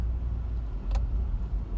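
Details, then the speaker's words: 2013 VW Beetle 2.0 Turbo (Gen1) idling at a stop: low, uneven idle surging and sagging, stumbling close to stalling; cause suspected, not confirmed. "all right there you go now we got the idol look at it it's stumbling i think you can see the shaking on the"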